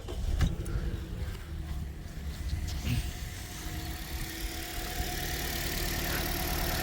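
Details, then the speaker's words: Toyota Corolla (ZRE152 or 182) with check engine light, cold start: lumpy idle slightly high; pulling each coil pack shows one makes no RPM change while others drop revs, a misfire on one cylinder from a failed ignition coil. "Okay, and you can hear the change, right? You can hear the RPM. When I plug this back in, the RPM speeds up."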